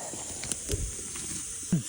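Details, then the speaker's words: Above-ground water supply line to a house, crossing a brook, with a chunk taken out of the pipe: faint steady high hiss of heavy mist spraying under footsteps and handling noise. Water pipe leak hiss. "actually it's not quite as bad of a leak as I thought mainly just a heavy Mist that I was seeing something definitely took a chunk out of it right there"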